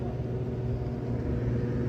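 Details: Commercial air handler after evaporator blower wheel replacement; the loose wheel had been jamming the fan with banging and a burning smell: now steady, even low rumble with no banging or scraping, blower spinning freely.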